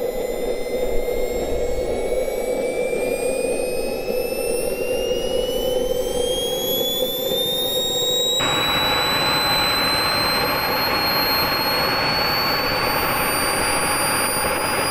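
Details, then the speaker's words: Jet RC car with carbon fiber monocoque chassis and an RC-plane jet turbine running paraffin and jet oil: ignition, a high whine climbing steadily after light-off, then settling into an even, steady jet roar; first successful start, turbine starting and running normally. "The car was running. Success. A very big milestone for the project complete."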